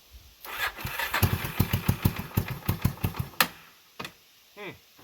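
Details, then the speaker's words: 1989 Yamaha Big Bear 350 single cylinder that sat 10+ years, on fuel reserve without choke, with the fuel screw backed off half a turn to about two and a half turns: slow, uneven pops with a lower idle, then it falters and quits. "Okay, so let's back that fuel screw off a little bit. Of course, it would die. That's a half a turn. So now I should be at about two and a half. And idle's less."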